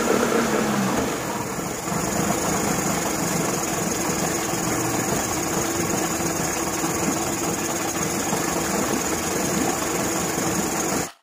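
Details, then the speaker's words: Evinrude 40 HP two-stroke outboard, on test tank after throttle synchronization and carb adjustment: steady, even idle burble with no misses, knocks or surging; running about as well as it will get on the test tank. "at this point it was running about as good as I think I'm gonna be able to get it and the test tank"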